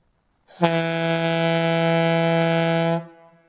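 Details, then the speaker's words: Gamewell Type B diaphone fire horn run on an aluminum piston without the 40 holes and extra collar, fed by a 1/2-inch supply line instead of the required 1-inch; deep steady blast about 2.5 seconds, then drops off, starved for air. "sounds to me like it's got a little bit deeper tone on that piston I can still hear it stopping for air but I'm happy"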